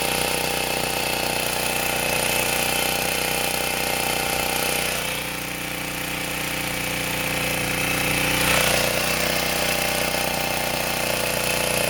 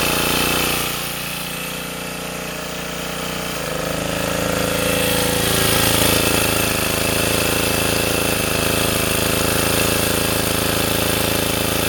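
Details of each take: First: Sportsman 2000 W four-stroke generator loaded with a 1500 W space heater: steady drone dips in pitch and recovers every five to eight seconds as the oversensitive governor overreacts and bogs the engine; spring to be moved. Governor hunting under load. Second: Sportsman 2000 W generator after tuning, with a spring added to the governor to damp overreaction, holding a steady, even drone under a 750–1500 W space-heater load with no surging or cycling.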